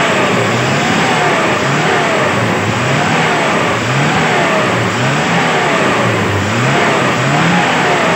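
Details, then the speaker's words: Daihatsu Zebra after carburetor tuned for economy, running from a 1-liter fuel bottle: repeated throttle blips climb smoothly and drop back evenly, no misses or pops; healthy, well-tuned carburetor. "ini bisa didekatkan sini nanti saya gas kawan ya saya gas kawan"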